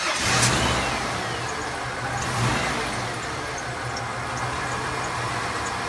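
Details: 1994 Ford F150 XL with a 4.9 inline six that wouldn't idle, after installing a new IAC valve and MAP sensor, first start: engine catches and settles into a steady, even idle with no stumble or hunting; fixed.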